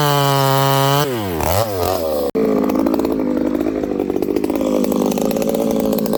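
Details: Ported Homelite 922 chainsaw after clutch and fuel line repair and cooler heat-range plug, cutting very hard wood: clean high rev dipping and recovering as it bites, pulling strongly without bogging; normal running under load.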